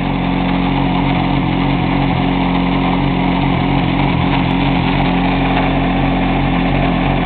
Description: Weird Grinding Noise